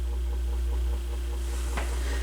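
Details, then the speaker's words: Rough-condition Goodwill AR XA turntable, first power-up before motor work or spring kit, no ground wire seen: constant low mains-type hum at steady pitch under playback; cause suspected, not confirmed. "I don't know that that's balanced okay you got some bad hum"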